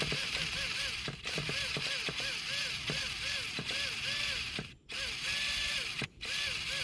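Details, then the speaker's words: Traxxas Revo 3.3 nitro RC truck after a fresh engine rebuild, fuel open: repeated ratcheting clicks with a whirring starter that never catches, struggling to turn the engine over; owner suspects the one-way bearing. "I can hear it turning over, but it seems like it's kind of struggling to actually turn the engine over."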